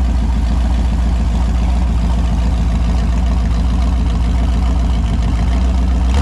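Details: Holden 253 V8 on a bench test after a freshen-up: new bearings, honed bores, new rings, Yella Terra heads, new timing chain. Deep, even V8 burble at idle with a steady firing beat. Runs cleanly and sounds healthy, no leaks apparent.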